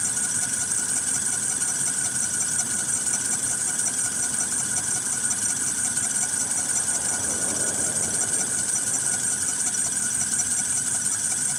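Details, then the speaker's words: 2013 Ford F-150 3.7L at idle, after recent water pump, alternator and belt replacement: constant high-pitched squeal over smooth idle from accessory belt area; mechanic suspects a failing pulley, unconfirmed. Belt squeal at idle. "Sounds like it could be a dinker pulley going bad with it. I don't know. It's not leaking. I took back. That's just the craziest noise ever."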